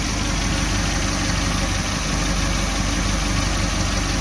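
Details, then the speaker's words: Suzuki New Carry after overheating repair, timing chain and valve clearance set, thermostat fitted: uneven, slightly shaky idle with hiss and clatter, rough only at low rpm; rough idle, cause not pinned down. "seperti bergerak, tapi hanya pada putaran mesin rendah, bro. Jika nilainya tinggi, biasanya aman."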